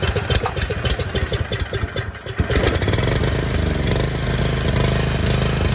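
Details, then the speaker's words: 6500 W gas generator unstarted for 3 years, stale fuel drained, reassembled, choke on and fuel turned on: a few rough pull-start bursts, then it catches and settles into a steady even run under music; normal running. "Give her a minute. Yeah, give her a rip. She'll fire right up."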